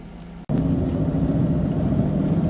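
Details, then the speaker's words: 2001 Jaguar X-Type 2.5 V6 petrol manual with P1646 O2 code, just started cold after battery disconnect cleared engine light: fires and settles into an even, steady low hum, no misses or knocks; normal cold idle. "So the engine's really cold, I've only just started it up, but it's really smooth. The power's there, it's picking up really nicely. There's actually nothing wrong with the running of the car."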